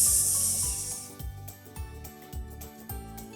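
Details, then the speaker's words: TOA PA amplifier on a 4-ohm load loses power after several minutes at high volume: music turns hoarse and gritty with a hissy rasp on every beat as the overheating output transformer saturates and the sound drops. "Terus ngedrop inilah fenomenanya ketika terjadi yang namanya satu rasi pada trafo ot"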